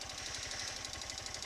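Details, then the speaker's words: 2018 Honda CG 160 at about 13,000 km, engine already fairly warm, idling: fast, light, evenly spaced ticking over a smooth single-cylinder idle, like an old worn bike; present since new, louder when very hot; cause not yet shown. "Então pessoal motor tá um pouco já quente mostrar para vocês aqui o barulho que eu queria apresentar para vocês ó não sei se vocês podem ouvir é esse barulho aqui ó"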